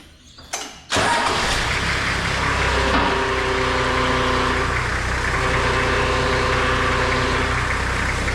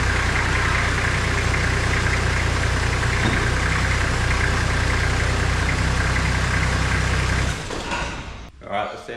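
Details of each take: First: Toyota Landcruiser HZJ75, reservoir cap off with plenty of fluid but aerated; engine starts and idles with a steady whining grind as the power steering pump cavitates, pump likely destroyed by running out of oil, to be replaced; pump cavitation. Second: Toyota Landcruiser HZJ75 diesel after power steering pump replacement, refill and bleeding, wheels on the ground: steady, even idle with a smooth low drone and no whine or grinding from the pump; sounds healthy.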